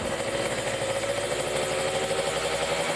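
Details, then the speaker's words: Kawasaki Ninja RR two-stroke after carburetor re-tuning (jet needle/slide swapped, racing exhaust, no air filter), revved to 3000, 4000 and 5000 rpm; high steady buzz with no stumbling or popping, so it revs cleanly. "ya kita lihat rpm nya kita tes ada berbuat apa enggak RPM 3000 4000 5000"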